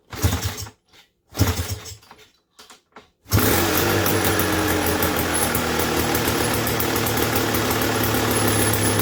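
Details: 1986 Tecate 3 trike, started for the first time in 7+ years with a reportedly fully rebuilt engine: a few sputtering cranking bursts, then it catches and settles into a steady, even two-stroke idle, running normally and healthy.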